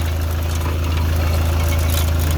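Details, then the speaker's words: Customer's car at idle: steady deep idle with a fast buzzy rattle keeping time with engine pulses, from the engine/gearbox area; a broken mounting left a part loose and rattling about. "I thought I'd have a look at what was causing a rattle on this customer's car here"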